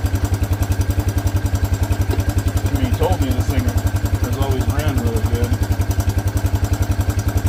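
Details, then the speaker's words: Old Honda Big Red three-wheeler, said to be a 1984, saved from a farm barn, just started after a fuel line was fitted: even, steady single-cylinder putter about three and a half beats per second, no misses or knocks; idles healthy. "All right, let's give her a shot. She purrs like a kitten."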